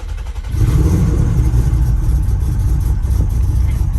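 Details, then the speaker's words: 4.1 L stroker Nissan Maxima, first start after JWT cams, ported heads and Holley Hi-Ram intake, big cam: catches after half a second into a heavy, lumpy uneven rumble; rough running, warning lights on, cause not yet found. "All right, so we at least got it started. Now we just got to work out the kinks with why it's running as rough as it is."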